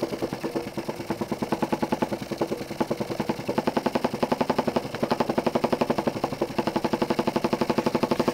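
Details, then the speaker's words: Jensen 20G steam engine, bought used, with a homemade rubber or silicone cylinder seal; quick hard bump on every stroke, heavier than a normal chuff, from a seal fragment loose in the cylinder. Fixed by remaking the seals properly. "I opened the cylinder and I found that this little piece here was became loose from this end of the cylinder, and this was making that noise, awful noise."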